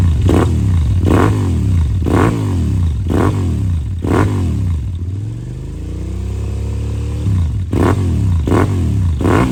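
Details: 2007 Suzuki SV650S K6, 12,669 miles, 4-stroke liquid-cooled fuel-injected V-twin with Leo Vince exhaust: quick throttle blips about once a second, smooth rev and fall, crisp over a steady twin lope; normal idle and revving.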